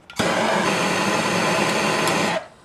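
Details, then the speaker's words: 1977 Hydro Flame HF-16 truck-camper furnace, blower motor cleaned and oiled, bench-tested on 10.5 V (rated 12 V) after heating the switch with a torch: motor kicks straight on into a steady, even whir with no scraping or hesitation, then cuts off cleanly; normal. "there it goes just kicked on yeah that that right there folks is a good deal"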